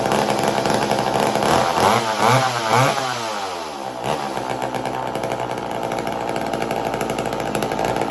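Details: McCulloch Mac 120 chainsaw, bought as non-running and just got running: two-stroke buzz surges and sags unevenly instead of holding steady; rough running, owner thinks it needs a carb rebuild.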